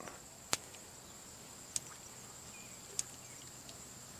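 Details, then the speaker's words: Electric fence after the wire was reconnected: sharp crisp snaps about every 1.2 seconds, steady over quiet outdoor hiss. The fence is energised and pulsing properly. "Yeah, it's on. It's electrified."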